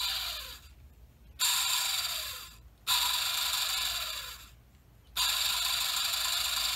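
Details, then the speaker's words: BMW S85 throttle actuator DC motor, bench-tested at 12 volts: it spins in bursts with a harsh, gritty high-pitched buzz. A bad motor, full of carbon dust. "so doesn't sound very happy and that's just with 12 bolts being applied"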